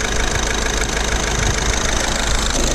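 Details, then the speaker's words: Diesel Skoda Octavia that had a P0201 misfire, idling after the faulty injector was replaced and coded in: steady, even diesel clatter with no stumble or missed beats, all cylinders firing smoothly. Normal diesel idle. "okay guys we're back on with the new injector we're running very good as you can see"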